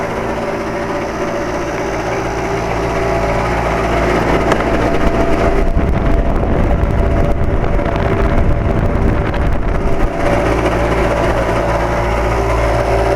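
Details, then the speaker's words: 2007 Carrier 2.5-ton central air conditioner outdoor unit: uneven, irregular rattling whir over the steady hum, on and off for four or five years; believed to be the fan motor but source is hard to pinpoint. "this is my second video of the 2007 carrier 2 and 1/2 ton air conditioner at my neighbor's house and it is making weird noises this has been off and on over the last four or five years"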